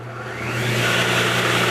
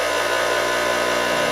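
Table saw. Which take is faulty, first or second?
first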